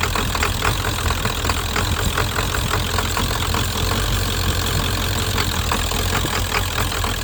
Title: 7.3 psd Misfire